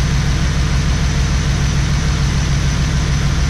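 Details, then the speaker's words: LT1 V8 Trans Am at idle: fast, fairly even idle with a faint recurring stumble; misfire, running on seven cylinders, caused by a bad fuel injector found with a stethoscope. "but the stock it should have been smooth not this sound so that's a misfire right there"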